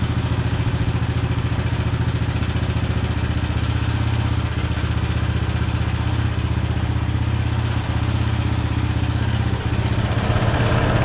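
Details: 1983 Honda Big Red single-cylinder, just after carburetor rebuild (stopped running after sitting 7 months, old ethanol gas suspected), run from a temporary bottle fuel tank, pull-started; steady even low thumping idle, no misses or knocks: healthy.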